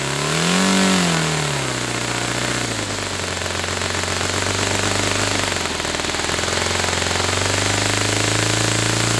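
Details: Saito FA-300T twin-cylinder glow engine on a customer run, with a sticky, hard-to-set throttle linkage. Revs blip up, then settle into a steady, even buzz with no stumbles. Running well: normal running.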